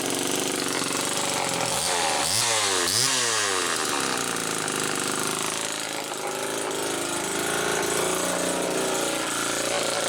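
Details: 1974 Homelite XL-2 chainsaw test run after air leak repair: two quick throttle blips, then a steady high buzzing idle that holds without dying; runs fine, idle slightly unsettled, not quite what owner would like.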